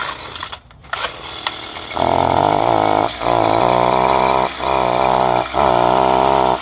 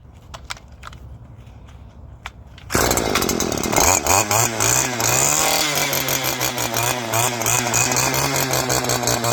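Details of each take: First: Two-stroke string trimmer that keeps stalling: buzz sags and recovers about once a second as if choking for air; exhaust blocked by a clogged spark arrestor screen. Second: Two-stroke string trimmer after removing its clogged spark arrestor screen: quiet, then the engine catches and settles into a steady, high buzzing run with even revs; running properly, problem solved.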